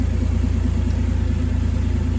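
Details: Ford FG Falcon G6E turbo six idling after maintenance and mods (new spark plugs, centre muffler delete, intake upgrade, fuel filter): deep, even exhaust rumble with a smooth regular beat, no misses or ticks; healthy idle.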